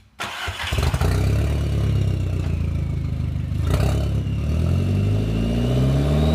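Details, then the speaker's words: 2004 VW Jetta GLI (Mk4) turbo engine, flex pipe rusted through and broken right after the turbo, so no exhaust: starts and revs very loud and raw with a rattly edge from the loose flex pipe. "The other thing, my flex pipe, I guess it just got too rusty. It just broke. So right now, just coming off my turbo, there's no exhaust, so that's why it sounds so obnoxious and it's loud."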